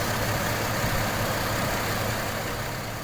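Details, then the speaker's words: GM Trailblazer 4.2L Vortec inline-six after replacing the VVT camshaft actuator solenoid for code P0014; starts much better than before and now holds a steady, even idle with no stumble, hunting or misfire. "I will say I immediately noticed it started a lot better than it used to. As you can hear, it's now idling a lot better."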